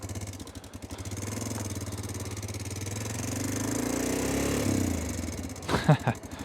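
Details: Honda Dominator 650: a lumpy single-cylinder idle with fast metallic ticking that swells with a light rev. The rattle returned after a shop repair; the owner suspects the cam chain tensioner was not replaced, and the chain later snapped back quiet.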